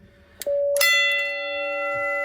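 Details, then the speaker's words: Station Alert Controller SA812 set for one gong strike: a short electronic tone, then one bright gong strike ringing on with steady metallic sustain before a hand damps it; single-strike alert setting. "you get just 1 strike of the gong."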